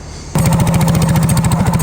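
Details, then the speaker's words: Go-kart single-cylinder engine, just remounted from Ol Red onto another kart, started with its crank-up starter: it catches sharply and holds a crisp, even exhaust beat around fifteen pulses a second, running smooth and healthy. "Now, we gotta crank it up. This is one of them crank up starters, and then we'll fire it."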